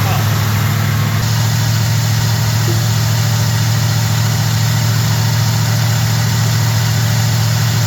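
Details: Small block Chevy truck after swapping a sat-up Edelbrock carb for a Holley, first idle after the swap; steady low idle with even, unhurried lope, no misses or knocks, idle adjusted without tachometer; normal idle.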